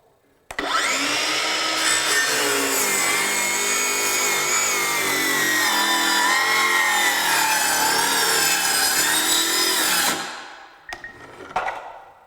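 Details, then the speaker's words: Craftsman V20 brushless 7-1/4" circular saw CMCS550B on a 2 Ah battery ripping a 2x4: the high whine sags and wavers for about nine seconds, then stops abruptly as the battery cuts out. "that's it. We're going to get a cutout. That's fully expected."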